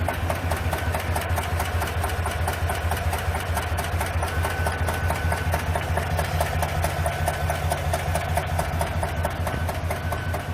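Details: 2021 Chevrolet Tahoe/GMC Yukon V8 with the engine malfunction lamp on and a misfire code. Idle carries a fast light tick, about two per second, over a slightly uneven beat; ticking with misfire, cause unconfirmed.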